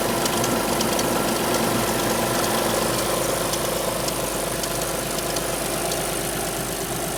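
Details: Alfa Romeo 156 V6 in for timing belt replacement, cold start: cold idle with light, fairly even ticking about twice a second over steady hum; two distinct abnormal noises heard only cold, not noticed warm on arrival, cause unknown.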